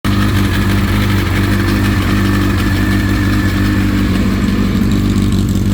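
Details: Honda CBR1000RR (SC57) inline-four at cold-start idle: fine metallic rattle over the idle, gone after brief warm-up but returns on restart after a 10-minute stop, faint ticking while riding; owner suspects cam chain tensioner, unconfirmed.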